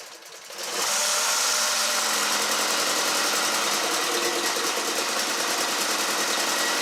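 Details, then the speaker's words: 2012 Mini Cooper Countryman after bottom-end rebuild for P0304/P0300 misfire, restarted after reconnecting unplugged number one injector: even, fast hum with no stumble or shake, all cylinders firing, despite an oil leak; normal idle. "all right that's the smoothness i want here so i can like sleep with ease"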